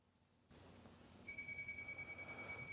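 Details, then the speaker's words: Moisture meter run down a flood-damaged drywall wall from the top gives a high, steady electronic pinging tone where the drywall has elevated moisture, marking wicking above the flood water line. "so if you hear that pinging noise that's where the drywall has elevated moisture okay"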